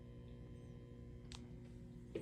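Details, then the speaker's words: Marshall DSL100 (JCM2000) tube amp with the phase inverter tube removed, microphone near the speaker at idle. Quiet constant low hum with faint buzzing and ticks, caused by audibly defective power tubes; a new quad is needed. "aside from the fact that these tubes are audibly defective listen to that"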